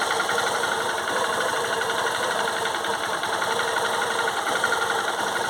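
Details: 2008 Honda Titan 150 carbureted single-cylinder motorcycle running, fast light metallic ticking over steady running; owner suspects timing chain, abnormal engine knock of unconfirmed source.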